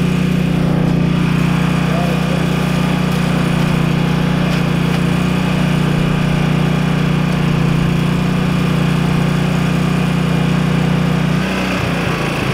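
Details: Ford F-250 XLT 7.3L IDI diesel, glow plugs connected, new injectors, ether tried: long even cranking, steady compression beats about three per second, never fires; no fuel through injectors, owner suspects weak injection pump.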